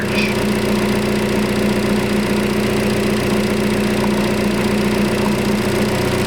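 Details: 2012 Chevy Cruze 1.8 after repairing a broken purge-control-circuit wire: steady, even idle with a smooth low hum and no misses, knocks or ticks; engine idling normally.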